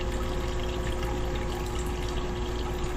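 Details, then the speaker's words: Small pump in an Arduino PID-controlled water tank level setup: steady hum with water splashing and no rattles or surging, the pump slowing as the level nears its 7–8 inch set point; normal pump running. "Yeah, and I can hear the pump slowing down."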